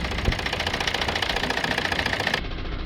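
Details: Citroën C3 1.5 diesel at idle and light revs, returned worse after an injector cleaner treatment: uneven, stumbling beat with irregular knocks about three to four a second over the clatter. Severe cylinder 4 misfire; injectors to be removed.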